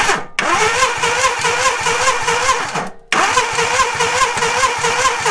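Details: 1987 Suzuki Samurai whose engine had seized after running out of oil, with badly damaged wiring and poor connections, cranked while spark is being checked. Two bursts of even, brisk starter cranking and it never fires; crank, no-start, cause unconfirmed.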